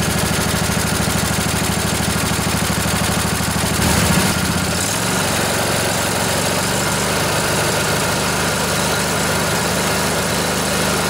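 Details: Revived junkyard Briggs & Stratton Intek OHV twin (20-22 hp, model 40777) on a Husqvarna riding mower with new carburetor: brief surge around four seconds, then steady, even idle without knocks or misses; normal idle.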